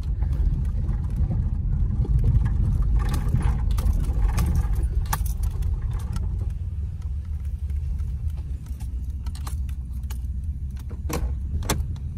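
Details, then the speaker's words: Oldsmobile being revived after parts arrived, idling steadily. Loose, irregular light rattling on top of the idle is the ashtray buzzing in its housing. "Other than that damn ashtray rattling."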